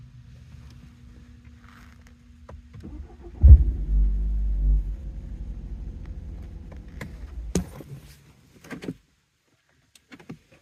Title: BMW 530i 2017 48k miles cold start knocking noise